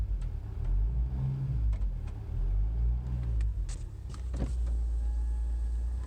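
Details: Vauxhall Astra H 1.9 CDTI: deep droning hum heard only inside the cabin, between 1,000 and 2,000 rpm and when setting off; source unknown.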